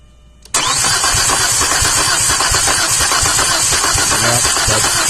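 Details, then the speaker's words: 2004 Chevrolet Epica cranked with the compression tester on cylinder 3. The beat is uneven and lacks one firm compression stroke. Serious compression loss in cylinder 3, suspected burnt valve or hole in the piston. "okay that's pretty definitive got a burnt valve or holding the piston pretty serious loss of compression in that zone"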